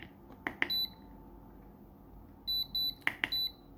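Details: Programmable electronic load testing a quality 2 m USB 3.0 extension around 1.1 A: two sharp clicks then short even high beeps, undervoltage cutoff alarm; rated 0.9 A, it delivered 1.3 A.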